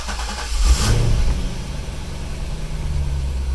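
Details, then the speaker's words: 2004 Chevrolet Corvette C5 Z06 Commemorative Edition started after 16 months in storage, possibly stale gas, oil pressure about 20 psi while cranking: catches quickly, flares, settles into a smooth deep steady idle; normal cold start. "pressure comes up son of a beyotch if that doesn't just seem like I drove it yesterday and put it away it sounds like a champ woohoo good good"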